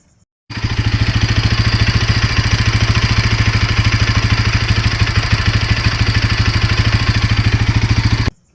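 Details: Bajaj NS200 motorcycle engine at idle: fast, steady metallic clatter throughout, chain slap from a loose timing chain tensioner that wobbles and fails to keep the timing chain tight.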